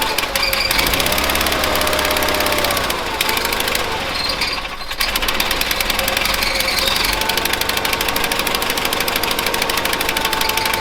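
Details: 1970s Bolens QT16 garden tractor, long unused with old gas and gravity-fed fuel to the carburetor: engine stumbles and sags mid-clip, then picks back up unevenly, about half choked; rough running, carb needs cleaning out.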